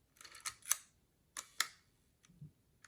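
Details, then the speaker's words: Mint, new-old-stock early Leica MP with M6 ISO dial, just back from Leica factory service: two soft, crisp pairs of shutter clicks and a faint later tick, quiet and even, no drag; shutter firing cleanly. "And now it's even better because I just serviced it. Let's hear the sound of the shutter. So that's the sound of the Leica service, fresh service."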